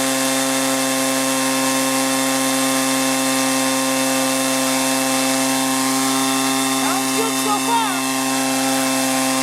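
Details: 1983 Echo PB400E two-cycle blower, warmed up and throttled up after a new fuel line and fuel filter, exhaust-port decarbonizing and air filter cleaning: steady high-pitched scream, perfectly even at high throttle, no surging or bogging; normal running.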